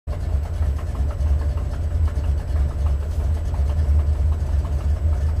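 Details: Buick 455 Stage-1 Regal T V8 at idle, heard from inside with windows up: faint quick puffing tick on each firing pulse from 11-year-old header gasket broken at #7 header flange; worse after broken piece removed; new gasket planned.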